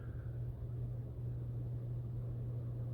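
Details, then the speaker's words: Hunter ceiling fan, after fixing years-long squeak caused by fan fins hitting a wire: steady low motor hum with no squeak or ticking; runs smooth and quiet. "there it is no war little squeaks noises so that's what was wrong with it I'm little finn's in there we're hitting the wire"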